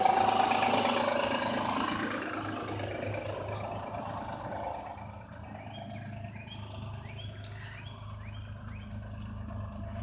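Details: 2007 Honda Odyssey, dead cold start with oil full and clean. A loud start settles into idle with a light, quick ticking rattle around three per second; the owner suspects timing belt noise, unconfirmed.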